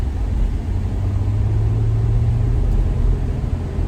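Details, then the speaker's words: 2004 Toyota Sienna under hard acceleration after replacing the faulty cylinder 6 fuel injector (P0306 misfire, originally P0305): smooth even deep drone, no stumble, no flashing check engine light; normal acceleration, misfire fixed. "Yeah, so far, man, feels great. Has some nice get up and go to it. I put the pedal to the metal. I did not get any flashing lights."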